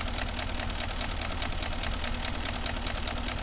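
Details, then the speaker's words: Porsche Cayenne 4.5 engine at idle: quick, even knocking about five times a second from piston slap caused by scored cylinder walls; the engine also burns oil. "Така сама ситуація і в цього була 4-5 атмосфери от як стукає Порше цеже поршень стукає вже пош стукає"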